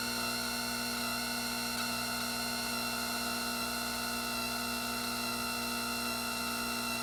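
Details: Gaggia Anima espresso machine: steady high-pitched whine holds level throughout with no speed change; abnormal whining noise, likely from the machine's drive.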